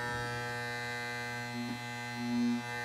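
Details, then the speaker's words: Andis Masters hair clipper after a fall, running after turning the tension screw clockwise until the loud rattle goes away: steady smooth powerful hum with even buzz, no rattle; blade tension set right, normal running. "And now it's got that nice, sweet, yet powerful humming noise. So we know we're in a good place now."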